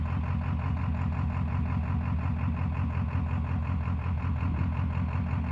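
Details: 7.3 PowerStroke diesel with blue smoke when floored: loud low clatter with a lumpy, uneven beat about three times a second instead of smooth running, a misfire.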